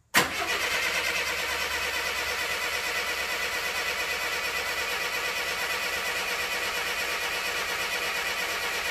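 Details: 1962 Mercedes-Benz 180c Ponton (W120), first start attempt: spark is present and the fuel pump is working. The starter spins the engine evenly for nine seconds and it never fires. Crank, no start.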